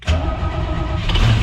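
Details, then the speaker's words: Engine with newly installed Sniper 2 fuel injection, in neutral, keyed on too many times before starting; cranks with a heavy, uneven low rumble that struggles and won't catch cleanly; flooded engine. "Let's see if it starts up or if I've keyed it on too many times and now it's flooded. Yep, flooded."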